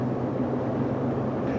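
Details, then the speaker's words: 2014 Ford F150 4x4 at 62,000 miles, heard from the cab at highway speed: a steady low drone under road noise that follows vehicle speed, not engine speed, diagnosed as a bad front left wheel bearing. "It sounds like a front left wheel bearing. It's kind of a droning noise that just kind of carries on with vehicle speed, not engine speed."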